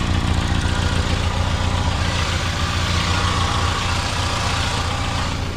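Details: 2016 Mitsubishi Outlander at idle: steady drone with breathy hiss and puffing from an exhaust leak at the resonator, downstream of the sensor; no oil or transmission leaks, spark plug gap checked fine.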